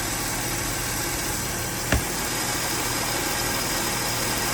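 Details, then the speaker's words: 2011 Mercedes C350 accessory drive belt at idle after silicone spray applied to the belt as a temporary fix: steady hiss, no squeal or chirp, belt now quiet; noise went away but long-term fix is belt and tensioner replacement. "see it goes away so that's how you quickly diagnostic a belt that is making a noise but the long-term solution is to replace it"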